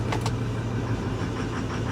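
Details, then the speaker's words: Ford F350 Power Stroke diesel 4x4 salvage truck idling with uneven, stumbling, lumpy beats over a low rumble; misfiring badly and not clearing with throttle; heavy smoke; misfire at idle, cause unknown. "hear that yeah she's misfiring pretty bad let's see if it clears up when we give it a little throttle no it doesn't it does not clear up"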